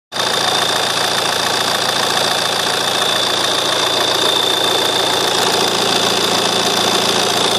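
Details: JTD diesel at idle: steady thin high-pitched chirp held over an even idle, unchanging; source of the squeal still unknown while searching.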